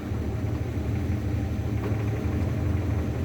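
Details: 1981 Ford Mustang, 200 inline-six with T5 manual, newly fitted HEI distributor: low, lumpy idle with an uneven beat about three times a second and a light rattle over it. Older engine; the cause of the rattle and stumble is unknown.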